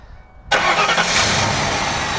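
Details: Hurricane-flooded 1992 Ford Crown Victoria, reportedly 11,000 miles, started after wiring work with fuel pump relay heard priming: silence, then the engine catches and settles straight into a steady, even idle; normal start.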